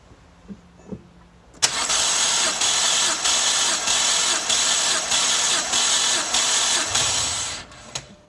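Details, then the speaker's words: BMW 325i E90 N52 engine that burns oil, cold compression test on cylinder 2 with no oil added and fuel pump off. Steady starter whirr with even compression pulses around two per second and no uneven beats. Reading about 160, a very good sign. "again exactly about 160 cold with no oil that's a very good sign"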